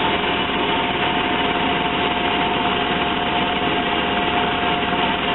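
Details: Van idling steadily and evenly during a fuel pressure check, no misses or knocks; the cut-out it shows once warmed up hasn't appeared yet, so the cause is still unknown.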